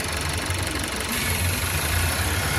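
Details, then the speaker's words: Warm VW T-Roc 1.5 Evo petrol engine at idle: releasing a finger from a vacuum pipe snapped off the intake manifold (brake servo line) lets air hiss in, idle rises and hunts, setting a higher-than-expected RPM fault code. "increases its idle, and that's where the higher than expected RPM fault code is coming from."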